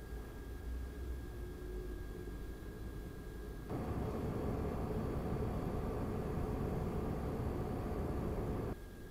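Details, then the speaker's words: Razer Core X Thunderbolt 3 eGPU enclosure with RX 5700 XT, after Noctua NF-A12x25 fan upgrade, same mic distance, idle then 100% load in Unigine Heaven: steady airy fan rush swelling briefly, then settling; normal. "same condition microphone at the same distance with this idle condition with GPU and news and followed 100% usage with Unigine heaven test"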